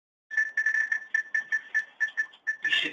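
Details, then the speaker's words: Handheld RFID gun scanning a room: rapid, uneven high-pitched beeps, roughly four per second, one per tag read; normal tag-read beeps. "should hear the beeps. So that means I'm picking up the RFID tags."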